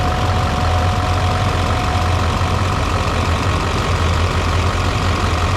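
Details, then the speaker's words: Newly installed diesel engine, running to hunt an oil leak, apparently traced to the turbo oil feed line: deep, steady idle with even firing and a faint constant whine on top, no knocks or misses; healthy running engine. "I'm going to start this engine and see if I can't see oil while I'm up here we'll see if we can't see the leak"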